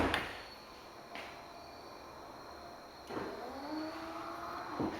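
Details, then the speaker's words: Yukon/Tahoe power running board after installing a new step motor to cure the barking-seal noise from stripped plastic gearbox gears: quiet, even electric hum as the board travels, soft stop, no barking or squealing; normal operation. "Is the barking seal gone? So far so good. Let's see if it goes back up."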